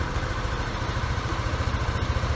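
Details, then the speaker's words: 2018 Yamaha Aerox scooter, after oil and gear-oil change: even low putter at idle with regular firing pulses, rear wheel turning gently, no knocks or rattles; normal healthy idle. "Yan ang normal natin, umaandar talaga yung gulong, pero mahina lang yan. So ang ganda ng tunog ng makina."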